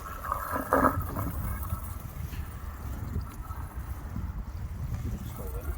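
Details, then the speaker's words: Old Beko washing machine drain pump run outside with too little water: water rises partway up the outlet tube and falls back, with gurgling and pulsing as the pitch wavers. There is not enough feed water to push it out. The pump is normal and healthy. "It's the water that's going so far up the tube, but it won't have enough back feed water to push it out, so it just sits, it's resting. You'll probably recognise this sound. That's because the water is just going up so far, falling back down, going up so far, falling back down. And it changes its pitch."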